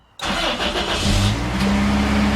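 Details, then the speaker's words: 1997 Toyota Tacoma, 270,000 miles, wrecked truck, first start after new spark plugs and plug wires: brief crank, catches right away and settles into a steady, even idle with no misses; starts and runs healthy. "Wow. It started right up. Sounds like it runs smooth."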